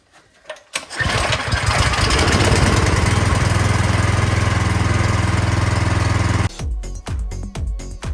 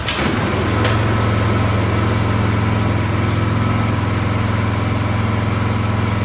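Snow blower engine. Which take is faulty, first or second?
second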